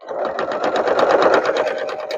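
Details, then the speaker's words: Sewing machine needle thumping through very thick quilted pot holder layers (fabric squares, batting) at about eight a second; owner says a fresh needle is needed, current needle is not fresh. "So I like to do this with a nice fresh needle, which I didn't do. Can you hear it thumping going through? Because I need a nice fresh needle."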